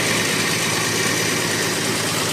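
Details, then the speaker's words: 1969 Dodge Dart slant six, sat 6 months with 10% ethanol gas, just started after fuel reached the bowl; steady idle with even hum, no knocks or stumbles, smoothing right out: normal idle. "Is it going to take? Yeah, looks like it is. Cool. Excellent, smoothing right out."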